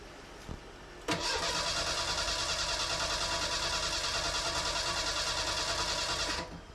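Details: Fuel-injected Merkur XR4Ti after an engine swap, cranked after fuel-line debris was cleared. There is steady starter churning at about three pulses a second for five seconds, with oil pressure rising while cranking, but the engine never catches. Poor fuel is suspected.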